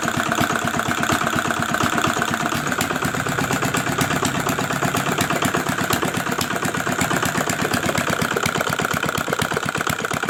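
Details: Old R175 single-cylinder diesel after crankshaft bearing repair and reassembly: crisp, even clatter at about two beats a second, steady with no knocks or misses; healthy run.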